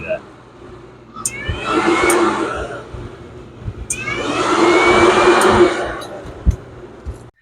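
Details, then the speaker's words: Yamaha YXZ1000R UTV, key on, at 71 degrees with fans normally off; a DIY override switch grounds the fan circuit, and two rushes of radiator fan noise start and stop with faint clicks as the fans switch on properly. "temperature is at 71 degrees and fans are off I'm sure you can hear it so if I want to override them that's the fan override"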